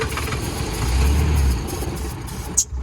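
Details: Cheap Range Rover diesel that cranks but won't start: starter churning about four turns a second with uneven firing beginning to catch; a no-start down to diesel fuel starvation.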